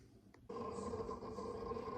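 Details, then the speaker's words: TerraMaster NAS after soundproofing the enclosure to cut its loud drive crunching: low hum with continuous soft crunching seek chatter, noticeably quieter than before. "all right just back up crunching away it is there is a significant reduction in the sound"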